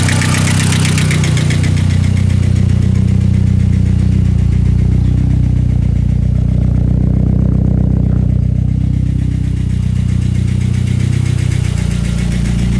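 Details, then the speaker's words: VW Jetta MK4 1.8T with GT28R turbo at idle after 2-step launches: fast steady ticking about four per second from the head over a slightly uneven idle, louder on the drive home; owner suspects cam chain tensioner or dry lifters, unconfirmed. "so yep a lot of ticking going on in the head my guess is the cam chain tensioner since they do fail or maybe some issues with the lifters maybe dry it out or something"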